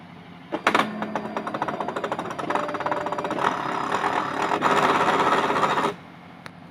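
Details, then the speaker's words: Fujitsu fi-7460 A3 duplex scanner in multi-sheet mode: rapid uneven clacking for several seconds as broken drive gears slip, paper only inches forward and won't feed, J50 error; single-sheet mode works normally. "bạn thấy không Nó kêu c cạch cạch nọ rồi nó không không quấn được giấy luôn giấy nó chỉ nhích Nhích nhích Nhích thôi chứ nó không quấn được"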